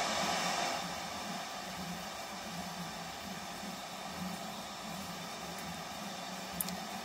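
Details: Hitachi KS1700H AM/FM radio sabotaged by its seller, controls needing cleaning: just a faint steady hiss with no FM station pulling through; FM reception near silent, cause still unknown.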